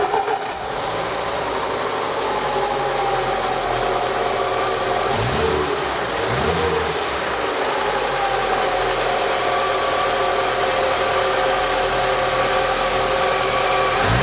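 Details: Lada Niva petrol engine (2121/21213/21214) with high mileage, after installing a restored camshaft replacing one with worn cams and rockers, idling steadily with an even hum and light regular valvetrain patter, no heavy knocking.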